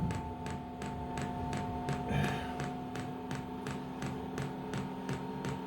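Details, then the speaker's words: Diesel air heater (Amazon unit, about £70) on a test bed before fitting to a boat, first start: steady light ticking nearly three per second over fan hum as the dosing pump primes, fuel drawn up slowly with air in the line. "can you hear that ticking noise that is the fuel pump and I can actually see the fuel being pumped up now"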